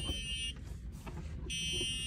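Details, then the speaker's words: EZGO RXV golf cart (circa 2008–2010) with Danaher controller, key on and set to forward, cart won't run: shrill steady buzz from the controller, pausing and repeating, meaning the electric parking brake failed the startup check. "you can hear a buzzing sound coming from the controller and what that means that the e-brake failed the startup sequence"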